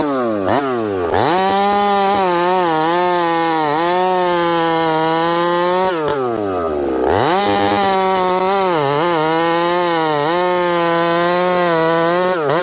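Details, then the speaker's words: Husqvarna 371XP chainsaw with a new pop-up piston, cutting hardwood: screaming revs surge and sag, hang high, then drop off and fail to return to idle. Leaning out; owner suspects dirt left in the previously filthy carburettor. "anyhow take a listen to this saw runs great and then it doesn't oh"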